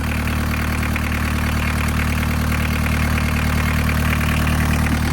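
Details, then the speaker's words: Barn-find VW Caddy pickup with a mechanical diesel, 154,000 miles, first start after more than 20 years off the road: even idle with a steady regular clatter, no misses, knocks or hunting; normal idle. "That's pretty good, isn't it? That is pretty good."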